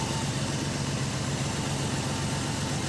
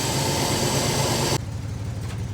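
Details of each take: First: Engine idling after carburetor and distributor work, timing set: steady idle with light uneven metallic rattle on exhaust note; suspected loose exhaust/muffler internals, not confirmed. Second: Carbureted engine idling after carburetor and distributor adjustment: a steady, even idle with a smooth low pulse, no hunting or misfire, and some hiss; doesn't sound bad, though a loose rattle inside the muffler is suspected.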